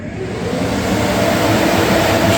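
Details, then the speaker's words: 1946 Chevy truck rat rod, newly installed electric radiator fan switched on via manual override (also thermostat-controlled): rushing whoosh of air builds over a couple of seconds then holds steady; normal radiator fan operation. "fan's on. So, I got an override switch. It's set up on a thermostat, too."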